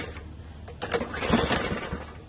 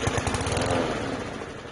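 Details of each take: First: PowerSmart lawn mower after a no-start and oil leak repair, new primer line fitted and refuelled: a few sputtering catches, then the small single settles into a quick steady popping run around three beats a second; starting and running fine. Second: PowerSmart lawn mower that wouldn't start, pull-started with starting fluid sprayed into the intake: short run of sputtering pops that dies within two seconds; spark and compression present, fuel delivery problem, carburetor cleaning expected.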